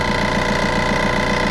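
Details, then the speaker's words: Ford Ka at idle after starting: rapid even buzzing tick about seven times a second from a loose part vibrating because its retaining clamp is broken; later fixed by wrapping tape around it. "it's quite annoying when you start in the car you just need something to hold that in place cuz you normally got a clamp that's Clips onto that and Al place like that but that's broken on this which is quite standard"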